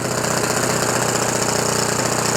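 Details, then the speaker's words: OS FS 91 Surpass 15 cc methanol four-stroke glow engine, crash-repaired with new crankcase cover, carburettor body, ring, bearings, epoxy cold-welded exhaust, first start break-in very rich on what is probably a Graupner 14x7 prop: loud steady high-rev buzz, even firing, notable but normal four-stroke vibration. "Il y a pas mal des vibrations. C'est normal. C'est un 4 temps."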